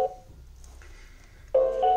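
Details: Xiaomi Xiaowa robot vacuum, new out of box, not charging or powering on from dock, Wi-Fi light not flashing: two short bursts of bright electronic beep chord with a pause; repeating error tone, cause not clear.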